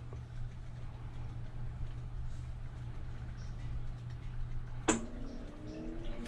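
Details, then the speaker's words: Kenmore top-load washer model 110.20022013 (Whirlpool-made), complaint of off-balance violent shaking blamed on worn shocks; in diagnostic test mode a click as the motor engages, then a smooth rising whine as the drum reaches high spin; spin cycle works normally. "You can hear it spinning. This would be high spin. We already know it's spinning, so it's fine."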